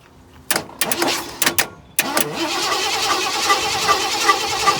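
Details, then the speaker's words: Truck that went from running perfectly to not starting, trying wiring changes: after clicks and clatter the starter spins the engine at a quick even pace but it never runs; crank no start, owner suspects the ignition switch. "So it's probably, well, I think I know what it is. It's probably the ignition switch."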